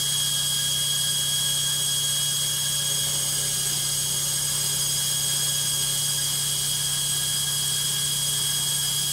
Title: LOGIK Washing Machine Noisy Spin 2